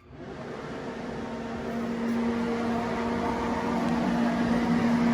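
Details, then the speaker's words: Heater fan in a skoolie bus with a Webasto diesel heater, wired straight to a line thermostat that shuts it off when warm: spins up into a smooth steady hum with even airflow; motor running normally. "turns on the fan. Wire the fan straight to the thermostat. When it warms up in here, the fan will shut off."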